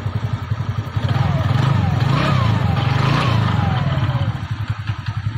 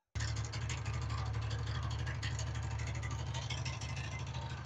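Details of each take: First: TVS Ntorq 125 scooter after repair of an engine noise complaint: steady low even putter at idle with no rattle or clatter; sound now good, normal idle. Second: TVS Ntorq 125 scooter idling before repair: deep engine drone with an uneven metallic rattle from a loose nut on the magneto (flywheel) starter one-way clutch. Engine is to be removed from the body and the nut tightened.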